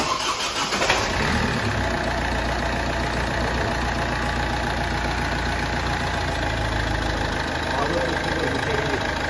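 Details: Ford Fiesta 1.4 TDCi diesel, 2006/2007, Durashift, after engine rebuild for oil consumption and smoke, with new timing set, water pump and oil cooler; short crank catches within a second, then steady even idle with no knocks.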